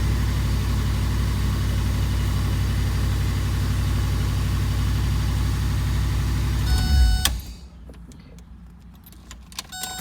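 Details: 1982 Mercedes 380SL after first start, smoking: engine runs well but holds a fast steady idle around 1500 rpm until shut off; high idle, idle speed control module suspected.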